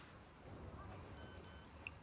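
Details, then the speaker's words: Lint-clogged, poorly cleaned Candy condenser tumble dryer, on program selection: quick run of sharp high beeps, E22 error; internet suggests faulty main board. "And as you can see, the machine runs for a couple of seconds, and then you get this E22 error."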